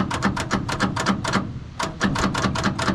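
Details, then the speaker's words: Old military truck sitting over 9 years, batteries wired straight to the starter and grounded: sharp clicks about four a second with pauses and no cranking; starter engages but engine won't turn, owner doubts the engine is seized. "we tried to hook in the batteries straight to the starter right here and got it hooked to a ground it will engage the starter but it not actually do anything if y'all can hear that"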